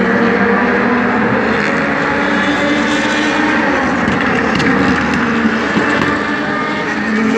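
Steady high V8 drone with uneven stumbles in the note, clearly a race engine running rough on a miss, cause unclear.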